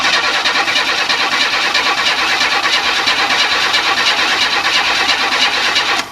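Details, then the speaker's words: 1994 Chevy Astro van after engine replacement, cranking: even starter cranking about ninety beats a minute, never fires; no fuel pressure at all, not even the two-second prime at key-on, likely cause of no start. "okay no fuel pressure none at all and it should have it the first two seconds when you turn on the"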